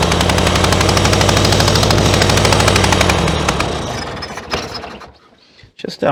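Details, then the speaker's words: 1966 VW Beetle, not started in over 10 years in a junkyard, with its carburetor hand-choked: the flat-four runs rough, chugs and stalls, then pops back through the carb several times, backfiring. "um using my hand to choke it a little bit there don't really recommend it so it backfires you can get a hamburger rather well done"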